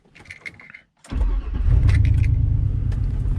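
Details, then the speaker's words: 2000 Chevy Tahoe V8 misfiring again after a previous new computer and injectors; starts and idles lumpy, skipping beats, and switching off injector six during testing changes nothing, pointing to cylinder six. "so right now she's missing up worse worse worse worse worse injector six worse worse so this right now is telling me injector six"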